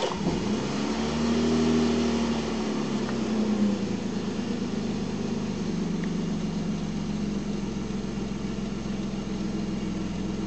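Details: Volvo 965 2.5, started after sitting for 3 years: after a brief blip the idle settles into a low, lumpy, uneven beat that never smooths out; rough idle, cause unclear.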